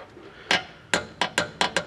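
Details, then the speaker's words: Citroen BX diesel estate with no hydraulic fluid in the system: six sharp irregular metallic clacks a quarter to half second apart; clunking, cause uncertain. "sounds bad. Yeah, I know I've got absolutely no fluid in this thing at all, but that does not sound good."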